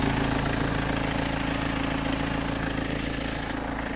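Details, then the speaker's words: BMW part-exchange with 182k miles, advisory on the last MOT for a loud engine, no knocks or shakes when driven: steady, even diesel idle with heavy, loud clatter throughout; excessive engine noise of unknown origin. "on the last mot The Advisory was down saying it had the engine was loud so let's listen to that Jesus anybody need a free Leaf I'm actually having to raise me voice here"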